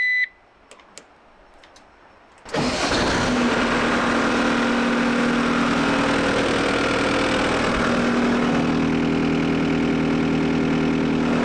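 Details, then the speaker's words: New Holland C232 skid steer diesel after oil, hydraulic and fuel filter service, checking whether a kinked hose caused overheating: it cranks, catches and runs steady with no misfire or knock; the setting turned out two turns now revs about 1,800 rpm versus 1,500 before. "see what it's like revving it up that sounds better I turned it out about two turns that sounds uh much better in the RPM range it's probably 1,800 compared to the 1500 before"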